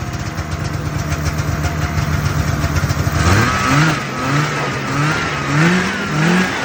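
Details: 1978 Arctic Cat El Tigre two-stroke snowmobile with new carb needle and pilot jets, carb semi-dialed-in and wiring semi-sorted: a steady buzz, then quick revs that climb and fall cleanly, a touch rich. Running much better.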